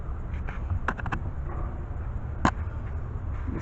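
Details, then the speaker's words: BMW E60/E61 5 Series rear upper control arm levered with a pry bar: occasional dull clunks with visible play between quiet gaps; worn upper control arm joint, to be replaced. "so today we're going to go ahead and change the upper control arm just because i could definitely hear that that clunking sound"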